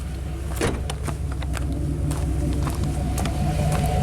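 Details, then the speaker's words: Classic Chevy 5.7L V8, warming up after the proper PROM chip is installed, O2 sensor unplugged, IAC not controlled: steady even low rumble at about 1,000 rpm (expected around 600), no misfires or hiccups. Normal idle. "It sounds beautiful. No misfires, no hiccups."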